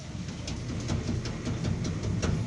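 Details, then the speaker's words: Car skid plate after its bolts were tightened: repeated dull knocks, each a single solid thud with no buzzing rattle afterward; the suspension rattle was gone. "acabou o chocalho pessoal muita das vezes vai ser só isso aqui tá"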